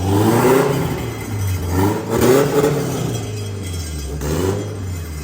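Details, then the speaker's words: Newly turbocharged Mazda Miata (CX Racing turbo kit, small turbo) blipped up and down several times: muffled revs rising and falling cleanly, no knock or rattle; healthy, said to sound like a Civic. "Oh yeah, dude. To be honest, it sounds like a Civic."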